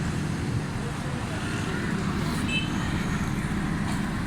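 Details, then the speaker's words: Suzuki Alto 1000cc (model 9, per the mechanic), carbureted, idling with AC off after a carburetor overhaul (cover gasket changed); exhaust at rear silencer sounds clear and strong, steady even beat, no missing; normal idle. "AC बंद करो, देखिए बिल्कुल clear, पीछे silencer बिल्कुल ज़बरदस्त sound है इसका।"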